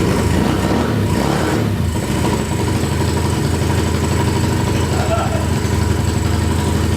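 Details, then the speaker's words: Freshly built big-bore KLX143 pit bike with a VM26 carb and new 10W40 oil, on its first start: the single-cylinder holds a fast, steady idle and revs hard once the choke is off, with the idle screw cranked up. High idle. "Okay, so it wants to rev like crazy with no choke."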